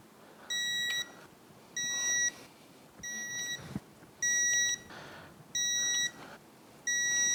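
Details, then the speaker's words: 2004 Yamaha F225 outboard powerhead rebuild, digital torque wrench tightening bolts in sequence to 10 then 20 ft-lb: six short high beeps about a second apart as each bolt reaches set torque. "So we've got everything to set in place, now it's time to break out the torque wrench. We're going to follow the sequence, take it to ten foot-pounds, come back do the same sequence again at 20 foot-pounds."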